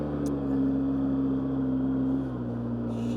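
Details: 2003 Polaris Sportsman 600 ATV riding in high range after clutch work: steady even drone rising smoothly in pitch as it pulls, very smooth shifting; normal running.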